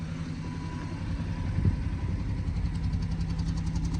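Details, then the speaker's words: BMW 118i, 42,339 miles, flashing engine management light: a low, lumpy idle with an uneven beat and occasional stumble or thump. A constant misfire that had been reported as an exhaust noise. "This car has done no miles since it's checked pretty much, and it's got a constant misfire. The comment about an exhaust noise, it was the misfire,"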